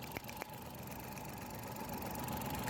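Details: 2012 Mazda (a Suzuki Every twin) with the check-engine light on and code P0303. The idle is uneven, with occasional stumbles breaking a steady hum. Cylinder 3 is misfiring.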